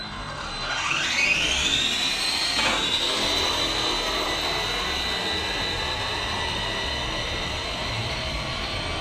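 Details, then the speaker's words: Redcat Kaiju EXT RC truck on 3S, about 36 mph: high whine sweeping up on acceleration then steady; pinion meshed too tight, owner thinks the motor clamp pushes it harder to the pinion and costs speed. "it is all over the road man and i guarantee i'm probably losing something with the way that uh pinion is so tight"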